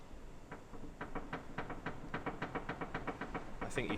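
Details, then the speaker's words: Ford Focus ST225 steering gives dull knocks, about three or four a second, as the wheel is turned; a common flat spot worn on the rack pinion at straight-ahead, which can later make the steering feel stuck when cold. "it's basically where the steering column um enters the rack it wears for some reason they wear like a flat spot on the pinion internally um in the straight ahead position"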